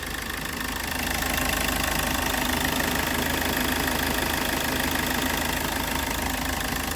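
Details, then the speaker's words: Hyundai Verna diesel, over 200,000 km, after timing chain replacement, first start once air bled: steady, even idle with soft clatter and no timing chain noise. "Air ഒക്കെ എടുത്ത് start ചെയ്തു നല്ല smooth sound ആയിട്ടുണ്ട് timing ചെയിന്റെ noise എല്ലാം"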